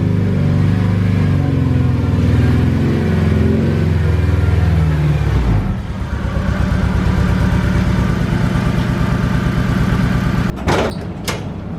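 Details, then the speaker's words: Honda Civic EK, turbo build awaiting fuel pump and injector upgrade: uneven, lumpy idle with loping off-beat pulse like a Subaru, one cylinder not pulling its weight; one fuel injector is clogged, diagnosed by unplugging injectors one at a time. "speaking of injectors you see how this thing sounds like a subaru [Music] that's because one of the injectors is clogged on this thing"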